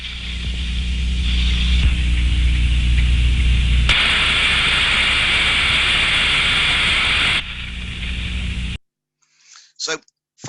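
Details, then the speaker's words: Ultrasound recording of a steam trap: a rushing hiss from turbulence swells for about three seconds as the trap opens, then falls away as it closes; normal open-close cycling of a good trap. "that sound recording you can hear the opening and closing of the Trap the turbulence increasing and then decreasing so that is what we want to see so that tells me it is a good trap"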